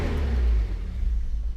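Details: Datsun 280Z, sitting in a field since 2005 after its gas tank clogged, started after work: deep, steady rumble with a brief rev that settles straight back; engine running evenly.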